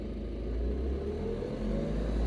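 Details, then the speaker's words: Automatic Renault Clio diesel with the engine started for a diagnostic-tool-commanded particulate filter regeneration test; a low, steady rumble held at revs raised automatically a little above idle, with no knocks. "now looks like it's going to do it guys you can hear it's automatically raising the revs of the engine while it's doing the test"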